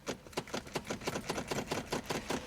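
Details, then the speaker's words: Flooded 1986 Nissan 300ZX abandoned 13 years, on a jump: gauges, volts and dash lights work but only quick sharp starter relay clicks, about four a second, with no cranking; owner suspects the starter is fried. "we got nothing from the starter. That's typical. Starter's probably fried."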